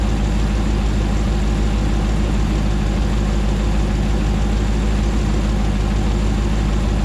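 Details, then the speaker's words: 2009 Hemi 1500 TRX4 auction truck, first start after months of rebuilding: even, deep V8 idle rumble, no knocks, ticks or hunting, warming up smoothly and no longer jerking around like before; normal idle. "sounds nice and smooth it's coming down on an idle we're not seeing it jerk around like it was before so that's good he sounds nice and happy"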